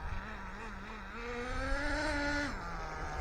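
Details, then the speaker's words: ACME Condor vintage 4WD nitro RC buggy on its maiden run, engine not very hot, low on fuel: small engine buzzes high, rises and drops back with slight burbling, still smoking and running rich. "It's wingeding it off a little bit, but I won't go much more than that. Still smoke and rich."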